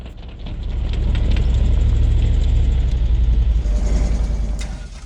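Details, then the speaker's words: Tow truck with tyre chains recovering a broken Toyota on a snowy off-road trail at night: heavy low rumble with choppy, irregular clatter rising and fading as chained wheels spin, truck rattling. "even with the chains director was spinning a little bit from time to time you can hear the tow truck just rattling itself apart when the chains are spinning"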